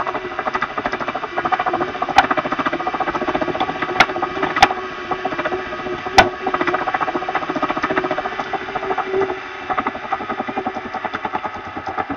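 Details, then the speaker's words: Elite Direto XR smart trainer spun by hand after the pulley was cleaned and JB Weld applied: fast, even gritty ticking with a few sharper snaps; owner suspects a bad bearing on the power meter axle, not confirmed. "And unfortunately, there is still noise. So I think it's probably a bad bearing on the right side or the left side."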